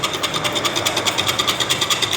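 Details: Fiat Toro with manual gearbox making engine noise and trouble at starting: a fast, light metallic clatter of about nine ticks a second with a ringing edge. The dual mass flywheel and clutch kit were found burnt, and the pressure plate no good.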